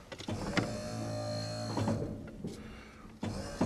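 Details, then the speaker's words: 1996 Ford F-350 Powerstroke diesel with Western cable snow plow, hydraulic pump: about one second of steady hum ending in a clunk as the blade stops; turns right fast during cable adjustment for a left-turn hang-up. "Really fast to the right. We're getting there, I think. That feels really good."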